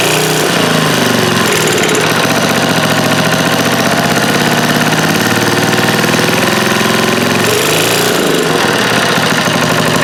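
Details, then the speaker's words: Old eBay generator running on choke: engine speed swells and sags every few seconds instead of holding steady; owner says the governor is not regulating speed and the carburetor still needs work, unconfirmed. "Main thing I'm seeing is the governor's not working, so it doesn't seem to be regulating the speed."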